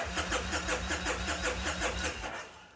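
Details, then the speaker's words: Kawasaki Vulcan Nomad 1600 with weak battery (new one ordered): steady starter cranking about two and a half beats a second, turning over evenly but never catching; cranks no start, owner suspects insufficient voltage to ECU. "even though it's got enough juice to kick it over it won't start it sounds like it's turning over fine but these things are very picky"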